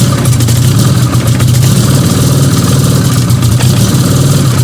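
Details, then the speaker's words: Fiat 125 (Bialbero), repeat test of a new, not yet finally fitted CNG carburettor injector; owner thinks it lacks gas and only needs regulation. Deep idle with a lumpy, stumbling beat and occasional dropped pulses. Misfire. "Aún así creo que ya es suficiente como para animarme, porque todo esto ya es regulación. Voy a hacer una prueba más. Volvió a fallar."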